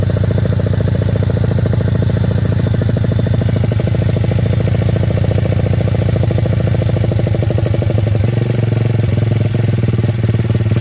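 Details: Welsh Pit Bike WPB 170 Detroit, unstarted for over a year, fresh fuel, choke on, primed and kicked, stone cold: lumpy but steady single-cylinder thump of about three beats a second that holds, fired up easily. Normal cold idle.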